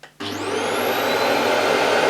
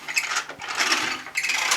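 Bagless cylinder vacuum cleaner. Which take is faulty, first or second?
second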